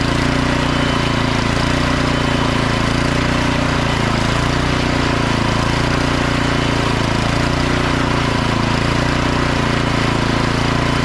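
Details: Craftsman snowblower model 247.889571, about 10–12 years old, after carburetor service: small engine runs at a steady even speed with a busy but regular exhaust note, no hunting or surging; auger and self-propel work, runs fine.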